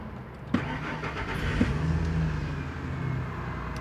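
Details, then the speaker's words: 1999 Ford F150 4.2L V6 after backfire, misfire and P0174 repair, cold at 123°F: short crank catching quickly into a steady, even idle with no stumbling or popping; far better crank, no misfires felt. "Hopefully the camera picked it up, but that was a way better crank. The engine's idling way smoother now. I don't feel no misfires."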